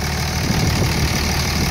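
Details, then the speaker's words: 2003 Ford F250 converted to Cummins diesel power with 5R100 transmission and all injectors replaced: even, low clatter at steady idle, no misses or knocks; runs smoothly, owner reports no problems. "Go ahead and start it up for you, and you can listen to it run. Everything runs fairly good. I haven't had any problems."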